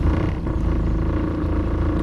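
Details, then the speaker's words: 60hp short-shaft Mercury four-stroke outboard on a 1977 17ft J-Craft, unused for about 8 years, cold start in gear; it still doesn't shift: steady, deep, even hum with no stumbling or misses; normal cold start in gear. "I know there's a lot of people that hate on four strokes, but show me any two-stroke that can cold start in gear like this."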